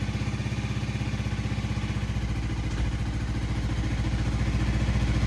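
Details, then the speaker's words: Honda Rebel 300 being revived after fuel pump repair, with a rusted original tank, idles unevenly with lumpy beats and slight stumbles; rough running, owner suspects bad gas, cause not confirmed. "Yeah, I don't think she likes that gas, but that's okay."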